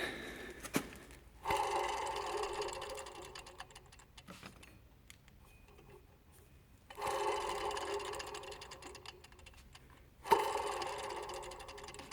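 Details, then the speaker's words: Belt idler pulley spun by hand with the engine off, checked for a humming noise on cold start: turns tight but gives short whirring bursts that fade as it coasts, with a faint rough hum; bearing may be going. "насчёт этой непонятно вроде крутится туге но Звук какой-то есть ролики слышно"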